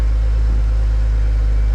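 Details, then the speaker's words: BMW 135i with N54 petrol engine (manual), just rebuilt and refitted, at startup on the driveway: deep, steady idle rumble with no knocks, misses or surges; loud on startup but healthy, normal idle. "as you can see she runs like a beauty all the front end's back on everything here Works PO on"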